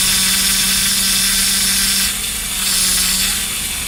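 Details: Power steering pump on a Toyota Corona Premio gives a constant low hum at one steady pitch over a hissy background; power steering hum.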